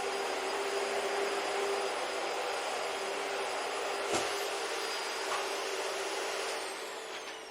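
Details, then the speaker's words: Dumpster-found Dyson vacuum after cleanup and repair: constant airy rush with steady high motor whine, winding down at end; runs fine, normal running. "yeah, so not too bad. You can't really hear the motor whine because it's like always, or the seal leak because it's always there, but and it doesn't actually sound that bad, but yeah, it works."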